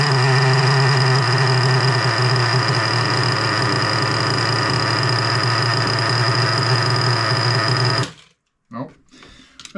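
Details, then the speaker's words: Small engine (3.3, freshly rebuilt with new bearings) fires up, runs fast and uneven about eight seconds, then dies; won't idle even after raising idle and richening, high-speed screw four and a half turns out; owner suspects carburetor positioned wrong. "Four and a half on the high end. And it's just see not it's not um doesn't want to idle without Maybe I just [ __ ] position my carburetor wrong."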